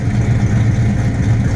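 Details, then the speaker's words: Deep, even V8 burble that holds steady and revs cleanly with no knocks or misses; healthy. Played as a joke: it is the Midnight Special running, not the non-starting project car. "crap guys she's running it was only a fuse this whole time I just popped a new you if cool fire up and then there she was"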